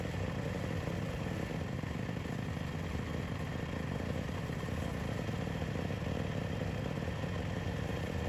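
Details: Yamaha YFZ WR450 478 hybrid single after head gasket repair: fires and settles into a steady, even fast idle with a smooth exhaust beat; runs healthy.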